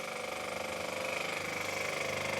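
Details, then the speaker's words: Dump-found airless high-pressure sprayer after motor start capacitor repair, first test drawing water: rapid even chattering pulse with bright buzzy tone, steady throughout, hose building pressure; normal running. "oh awesome oh look at the hose go the hose is building up some serious pressure by the looks of things"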